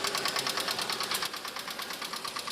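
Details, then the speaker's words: Subaru STI, 38,000 miles, with Cobb Accessport, intake and axle-back exhaust: quick, evenly spaced light knocking at a steady rate. Rod knock suspected, not confirmed. "pretty sure we got some Rod drop the oil pan see what it looks like I love the rithm it has it's just so good bro"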